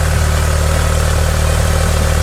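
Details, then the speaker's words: 1978 Lotus Sprint Eclat with rebuilt engine, just started cold: steady, even low rumble with no knocks, misses or hunting; runs really good but likes to warm up, normal cold idle. "But everything's in order. And it runs really good. It likes to warm up for sure."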